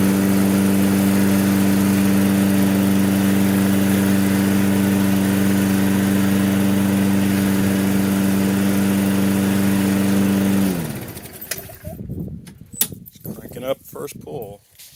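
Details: Toro self-propelled mower, Briggs & Stratton 6.75 with auto choke, after tune-up (new spark plug, cleaned carb, fresh gas); even, steady drone at constant speed for about ten seconds before shutoff. Complaint: won't restart once warm.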